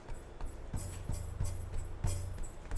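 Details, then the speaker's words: Toyota Land Cruiser 100 Series prepurchase inspection: irregular metallic clunks and jingles as the muffler is shaken, loose baffles rattling inside; sounds terrible with the engine running. "know you can hear the the parts rattling around inside of it but it sounds terrible when the engines running"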